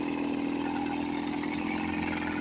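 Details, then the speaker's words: 1954 Johnson 5.5HP two-stroke outboard, revived after about 60 years with carburetor rebuilt; low-speed needle backed a quarter turn once RPM starts rising, and the motor sounds really good. Steady, even buzzy idle, no misses or stumbles: normal idle with mixture set well. "Actually, soon as the RPM starts to come up, I'll back it like about a quarter of a turn and I'll leave it there. This motor sounds really good."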